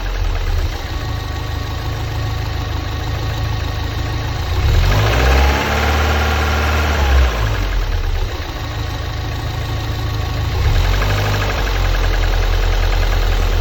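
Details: Lotus Elise S2 111S engine at steady idle: uneven knock around three per second and a howl rising and falling midway; source unclear.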